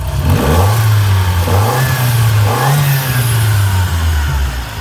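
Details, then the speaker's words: Shelby GLHS parked 20 years: after running a while the dead cylinder cleared up, as suspected. A steady, low, smooth note with gentle revving and no miss, now firing on all four instead of three. Normal running. "so there you go no longer on three cylinders it's running on all four so fixed"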